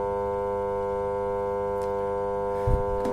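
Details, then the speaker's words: Samsung top-load washing machine set to spin with door switch bypassed: steady even electrical hum, drum not rotating, only the drain pump droning; washer motor stalled by a failed capacitor. "ಇದು ನೋಡೋದು ನೀವು, ಇನ್ನು drum ತಿರುಗ್ತಿಲ್ಲ, drain motor ಮಾತ್ರ on ಆಗಿದೆ. Friends, ನೀವು ನೋಡ್ಬೋದು, ಇದು ಒಂಥರ ಸೌಂಡ್ ಬರ್ತಿದೆ ಗುಯ್ ಅಂತ."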